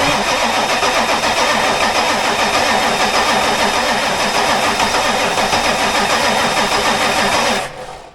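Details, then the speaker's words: Ford F250 7.3 Powerstroke diesel after new starter motor fitted and starter solenoid powered up: steady fast cranking about 3.5 turns per second, turns over evenly but never fires; crank no start, later fixed after two starters, a solenoid and IDM. "Well, she ain't starting, but it's cranking. And that is an absolute wonder from there. So, we're cranking again. But we're still not going."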